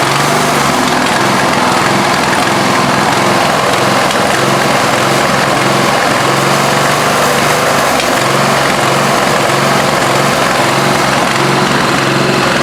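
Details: Craftsman LT1000 lawn tractor, 17 HP OHV single-cylinder, began missing and hiccuping near the end of mowing; running after loose valves were adjusted, still rough and uneven with misfires and backfires through the carb, cause still unknown.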